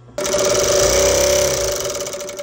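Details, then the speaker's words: Industrial sewing machine clutch motor, always humming when on, engaged with foot pedal: constant hum jumps into fast even mechanical whir, then eases off; working normally. "this is our clutch motor you turn it on you're gonna hear it gonna make this hum noise anytime that it is on"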